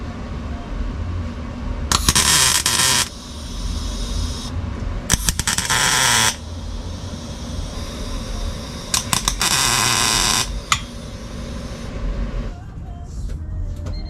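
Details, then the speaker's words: Honda CRX LSVTEC revved on the driveway on a cheap aftermarket oval muffler with small tubing that is only tacked, not fully welded: a sharp, raspy roar over a low idle. The deep, loud tone is gone but the rasp remains. "Okay, so the raspiness is still there, but the deep, loud tone is gone."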